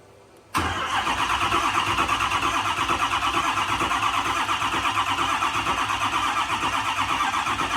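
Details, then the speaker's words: Ford F450 6.7 Power Stroke diesel after S&S DCR conversion pump install, cranking on batteries and jump box: starter labours slowly at about three turns a second, never catches; batteries of unknown date suspected shot, weak battery slow cranking. "It's just edgy. Yeah, literally. It's like, oh. Ain't got the juice."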